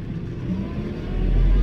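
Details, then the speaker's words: New John Deere 4066R compact tractor with auto throttle active, driving: diesel note climbs smoothly and promptly as the pedal goes down, no stumble; engine speed adjusts normally to pedal position. "You'll be able to hear how the engine almost instantly starts adjusting per how far down I'm going."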